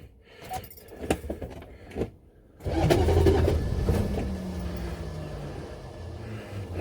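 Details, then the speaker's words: Buick Electra 5.7 L diesel, cold start after a year sitting, with an unrepaired blown head gasket and a rigged glow-plug button held 10 seconds; slow cranking with clanks, brief catch and harsh grind, and the starter pops out each time the engine kicks. "every time the engine gives a kick it just pops up starter raw out and uh you can see what's happening"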